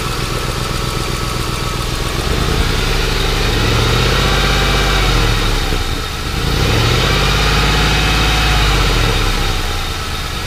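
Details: Warm Ford Crown Victoria after removing and cleaning the idle air control valve, owner suspects it was a little clogged; even idle with only gentle rises and falls, no hunting surge; earlier noise gone.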